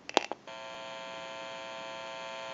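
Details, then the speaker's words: TP6A military rotary desk telephone on final checkout with an open amplifier listening to the receiver: after switch clicks, a steady low electrical hum from static pickup in the background, nothing faulty. Normal amplifier hum. "since it's an open amplifier it is prone to any static interference or noise in the atmosphere and we're going to go ahead and press the button on the amplifier you may hear a little bit about electrical hum"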